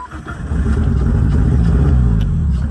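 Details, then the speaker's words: Cheap Jeep Wrangler after starter replacement: engine catches and labors unevenly, revs stumbling and surging, hesitating badly and idling only sometimes; catalytic converter cut off without fixing it, owner now suspects throttle position sensor. "Hear how it's hesitating really bad."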